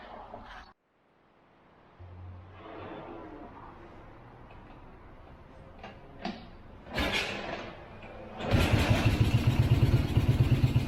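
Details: 1965 BMW R50/2 motorcycle, carburetors cleaned, spark verified, after about three years sitting: a few clicks, then it starts on the second kick with no choke and settles into a quick, even idle; engine starting and running.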